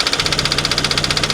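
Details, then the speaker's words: Car at a salvage auction: fast, sharp metallic knocking about fourteen times a second, steady over the idle; heavy blow-by and significant internal damage, timing chain suspected, and the engine needs replacing. "yeah we got a lot of blow by we got some some pretty significant engine damage"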